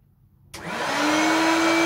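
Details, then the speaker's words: Hoover Turbopower Freedom upright vacuum switched on at high (position two): the motor spins up to a clean, steady whine with no beating from the brush. The brushroll isn't spinning because the drive belt is missing, probably snapped or stretched off. "oh I think the brushroll isn't spinning shall we have a look so the belts are the severely stretched or snapped well there's not one"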